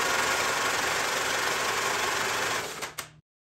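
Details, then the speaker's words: 1944 Allis Chalmers B tractor that sat too long, on external battery with all spark plugs installed, after oil in cylinders freed it a bit: laboured, even chugging about four beats a second as the starter struggles to turn the stiff engine, then stops. "the starter is still struggling to spin the motor with all the spark plugs installed even now after it's broke free a little bit which i really"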